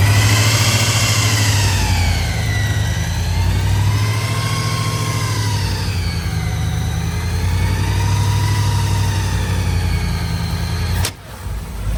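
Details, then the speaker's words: Small-block Chevy 383 V8 with blower, during cam break-in at a steady 2,000 rpm for 20 minutes before further idle adjustment: deep, even fast-idle firing with a whirring blower note that swells and eases, no tapping; sounds healthy. "so now we're running it for 20 minutes at 2,000 RPMs and then we'll mess with the idle a little bit more but at least that cam would be broken in right and uh she sounds healthy"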